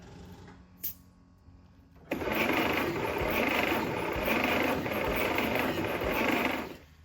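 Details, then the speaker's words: 1946 Willys CJ2a four-cylinder after 40+ years sitting, dry compression test being cranked: about five seconds of quick, even churning with no firing. Readings of only about 30–50 psi per cylinder; low compression. "Well, after doing a compression test, the compression is not good on this motor."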